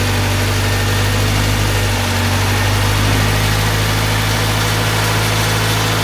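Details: Honda Civic EG Mugen hatchback four-cylinder idling just after valve seals, timing belt and water pump replaced, timing and distributor set, before coolant top-up and bleeding: steady, even low hum with no knocks or ticks, idle smooth and constant; healthy.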